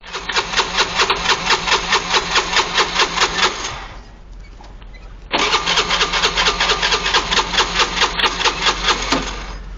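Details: Honda Benly 110 scooter that stalled while riding: two cranking attempts with steady chugging, engine never catches; starter relay and fuses fine, 5-year-old battery replaced.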